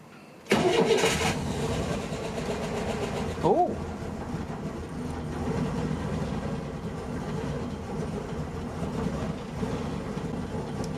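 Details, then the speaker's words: Older carbureted engine at cold start: it catches, then runs an uneven, lumpy idle with stumbling beats and smokes a bit. It has a bad misfire and runs very rough while cold. "it's cold it has a really bad misfire so yeah that's what it sounds like it's very rough when it's cold"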